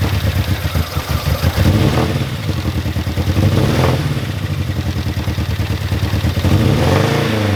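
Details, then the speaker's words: Mini Cooper R50 with engine light on, after spark plugs torqued to spec and new plug leads, cleaned coil pack ends: uneven lumpy idle with irregular stumbles, sometimes cutting out; rough idle/misfire persists, oxygen sensor also changed. "The car is still running very rough. The engine management light is still there. I don't know what to do. Bruh. Nothing seems to be working. The engine management light is still on and the car is still running very rough on idle, sometimes even just cutting out by itself."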